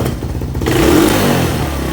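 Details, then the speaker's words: 1986 Honda TRX200SX quad: on a throttle blip the revs hold up and take a couple of seconds to sag back to idle, a hanging idle whose cause is not yet found. "has a little bit of a hanging idle right there it takes just a couple seconds for it to drop down"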